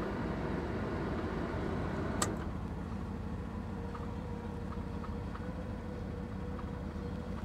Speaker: yeah she sounds good she really does there's something loose on the exhaust but the engine sounds good